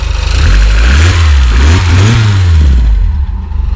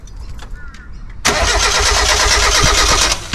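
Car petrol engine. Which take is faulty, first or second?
second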